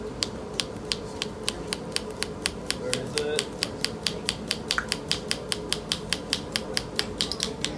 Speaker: hear that clicking that means you're in a maximum vacuum for that pump